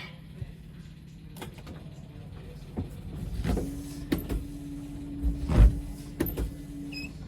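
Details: Ghostbusters Ecto-1 car under restoration, key on with fuel pump running, after adding fluid and sorting wiring: steady low electric hum for a few seconds over ticking, washer pump motor working normally; other side unchecked.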